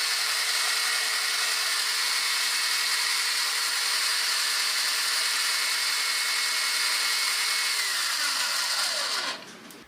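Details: Breville BCG450XL coffee grinder after repair: smooth, even high-pitched whir holding steady, then a clean spin-down when switched off; power loss had been caused by two faulty capacitors on the main board, which were replaced.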